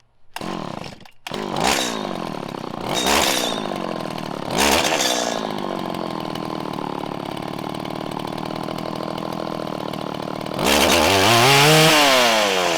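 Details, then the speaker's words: 1997 Stihl Pro Series FS two-stroke trimmer during carb tuning: with the low-speed screw too lean, throttle blips stumble and hang before climbing, then it revs out with a burbly, uneven four-stroking top end after backing out. "you could hear when i went too lean and it started to break up and it was having trouble ramping up there was a larger dead zone"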